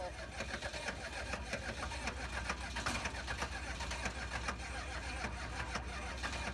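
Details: 1986 GMC dually 6.2L diesel, sitting over two years and rewired: low uneven churning for seconds without catching into a clean run; hard start.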